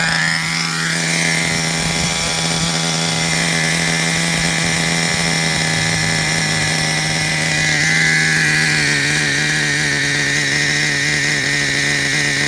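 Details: Traxxas Revo 3.3 nitro engine: revs up smoothly then settles into a steady high-pitched whine, no sputter or misses; engine good, though truck needs new transmission, spur gear with missing teeth, starter motor and one-way bearing.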